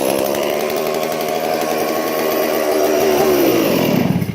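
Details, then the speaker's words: Crushed Stihl 461 chainsaw after a log rolled over it, run with no carburetor adjustment possible, revs high and steady through the cut then winds down cleanly, no misses or rattles; still runs normally. "listen to that folks $1,100 solve from steel did it got dropped a tree dropped on it yesterday or rode on it it cranks and runs steel"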